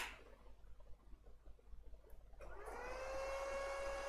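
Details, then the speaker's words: Lenovo ThinkCentre M72e desktop with no display: after power-on the front fan, not the CPU fan, stays at steady high speed instead of slowing, indicating missing CPU core voltage (VCore, VCCSA) from a failed NCP102 regulator driver. "so the fan in front here not this one not the CBU fan the one in front here should slow down if everything is good but this one is not slow going down it keeps at high speed and that indicates"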